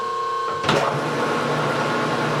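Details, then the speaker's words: Rebuilt Harrison M300 13x40 metal lathe headstock turned down from its 2500 high speed to about 540. Soft, even gear whir settles into a steady low hum with no knocking or grinding: normal, relatively quiet running at low speed. "then crank it down to like 540. so it's relatively quiet much quieter than my old embossing that's for sure"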